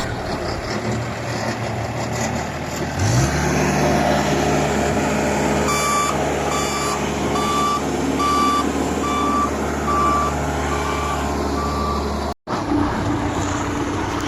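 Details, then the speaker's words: Skid steer loader after fixing a shorted traction hold solenoid that prevented starting, no error codes: diesel starts and runs steadily, brake heard opening and closing, reversing alarm beeping evenly; normal operation. "You can heard the brake is opening. Traction solenite is working. So brake is opening and closing."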